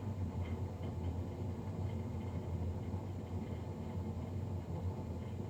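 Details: Navien NCB-240 boiler recorded three days after a Jan 31, 2020 service: steady low droning roar with even rumble, no clear rhythm, far louder than a combustion fan should run; loud fan noise, cause not pinned down.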